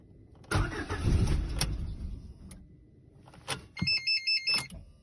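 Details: Lada Granta, 16-valve 127 engine, cold: two or three short bursts of cranking with sputters, but the engine never catches; no start from cold.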